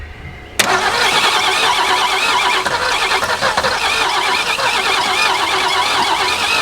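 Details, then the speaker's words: 1961 Ford Falcon abandoned 15 years, gear oil added to the cylinders for compression: catches abruptly and runs ragged and smoky at about three beats a second. Rough running; flex plate or transmission suspected. "that didn't sound good did we blow it up already crank it let's let it sit a moment well something is very definitely very unhappy in there"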